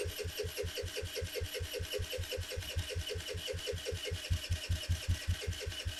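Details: 2007 Kawasaki KFX50 four-stroke 50cc quad with 150 psi compression, fuel reaching the plug, carb boot not seated, cranks evenly about two and a half beats a second without catching; ignition timing lost to a sheared flywheel key.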